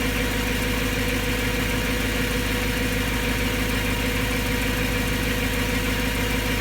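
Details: BMW M3 S65 V8 after bearing replacement: steady idle with a fast light, evenly paced tick about two a second; still sounds abnormal, source not pinned down.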